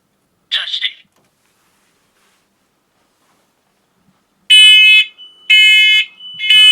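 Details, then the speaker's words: Hardwired, interconnected photoelectric smoke alarm with AA batteries, test button pressed: a short chirp, then loud shrill beeps about once a second in a steady pattern, setting off the other alarms in the house. It tests normally. "And to test this device, you press the button here and listen for it to sound. You will also hear the other alarms throughout the house sound."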